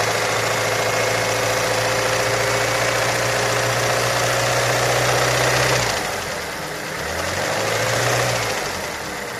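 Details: Ford Mondeo 4 2.3 at idle: steady fast, fairly even ticking knock, about three to four per second, over a smooth low hum; engine knock, source unconfirmed.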